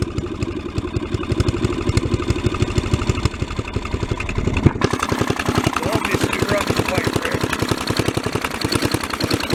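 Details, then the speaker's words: Mid-1980s Snapper commercial rear-engine rider, 11 hp Briggs & Stratton industrial L-head engine, revived after four years parked; running about half an hour, up to full throttle, slow slightly irregular thump with occasional popping and spitting, no smoke; ignition probably needs work; overall motor sounds good. "i don't see any smoke coming out of it the ignition system probably needs a little work it's popping and spitting [Music] overall the motor sounds good"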